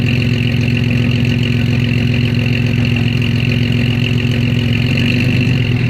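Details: Initial startup after exhaust repair: tailpipe rattling on the leaf springs fixed by bending and bracing the hanger, clogged cat gutted. Steady, even low rumble at idle with no rattles, ticks or knocks; normal idle.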